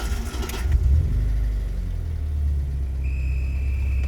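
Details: BMW E30 M40B18 turbo project on standalone ECU, first start with warm-up and after-start enrichment active: fires after a short crank and settles to a low, steady rumble at slightly fast warm-up idle; running normally.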